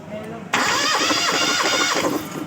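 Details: Four-cylinder engine cranked with a compression tester in cylinder 4's spark plug hole, which read 11.5 bar; cylinders 2 and 3 read 13 and 10.5. Steady, even starter churn for about 1.5 seconds with no firing. Compression judged still good, normal cranking.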